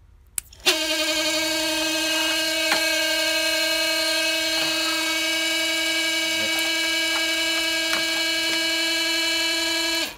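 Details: 2009 Toyota Prius 1.5L auxiliary water pump bench-tested on a power probe: clean, steady mid-pitched hum holding constant about nine seconds without rattle or wobble; pump working properly.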